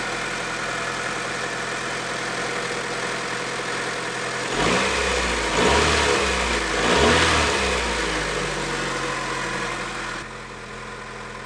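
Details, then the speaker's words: Honda Integra DC2 B18 engine running for the first time in over 6 years, belts off: even idle with quick, smooth throttle blips; a slight exhaust leak is audible but there are no fuel leaks. "a great success right there so excited man that sounds good"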